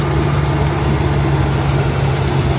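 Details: 2009-2014 Dodge RAM 1500 5.7L HEMI V8 after new serpentine belt and tensioner (torqued to 32 ft-lbs), replacing a chirping/squealing belt: steady even low hum, no squeal or chirp; normal idle.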